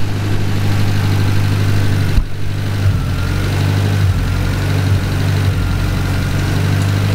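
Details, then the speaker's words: Cushman kei mini truck small engine after rebuild, oil burning off manifold, timing pulled back: idles low and steady but dips and surges now and then; unsettled idle, idle air screw needs carburetor adjustment. "got a little carburetor adjustment we're going to figure the idle air screw out and adjust that a little bit and get her to settle down here and just Smooth Up"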